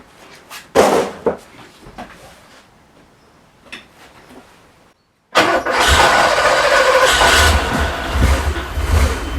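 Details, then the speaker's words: Porsche 928 V8 after its engine rebuild, with the distributor vacuum hoses capped off. It catches and runs with a wavering, surging idle close to stalling and won't stay running alone: struggling rough idle, owner suspects the removed vacuum lines. "I'm not happy there and it's really struggling now isn't it I don't know what's it now"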